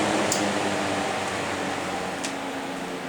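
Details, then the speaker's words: Vintage two-speed fan on high, not oiled in a long time: steady low hum, airy whoosh and faint rattle, louder than it should be; owner plans to disassemble, clean and re-oil the motor. "it still runs fine just a bit louder I should probably disassemble this motor I haven't done that yet probably disassemble it blow it out a little better and oil it again"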